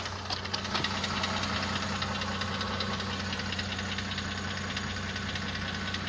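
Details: Mercedes-Benz CLS 350 at steady idle: dull, fairly regular knock low in the engine, about two or three per second, louder from a second spot; piston knock suspected, diagnosis only by teardown, possible engine replacement; no transmission errors.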